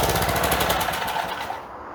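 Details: Craftsman 4 hp edger, single-cylinder, found with sand in the carburetor, running after a new carb was fitted; a possible bowl gasket fuel leak was noted. Quick, crisp popping holds a steady rhythm before dying away. Normal running.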